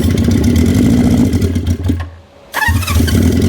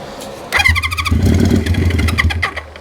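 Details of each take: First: 1973 Honda CB350 Four, throttle a little sticky: four-cylinder drones steadily, cuts out briefly twice and picks straight back up; the engine now runs on its own. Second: 1973 Honda CB350 Four, choked, on starting fluid after tapping stuck carb floats: ragged burst of firing for about two seconds then stumbles and dies; owner suspects clogged jets needing cleaning; brief firing then dies.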